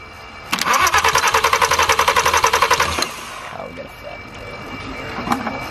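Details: Totaled VW R32 with broken throttle body connectors, spray put in to get it running. Steady rapid cranking at about four beats a second never fires: it cranks but won't start.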